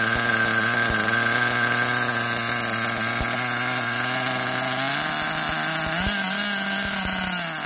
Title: SH .21 Nitro engine running rich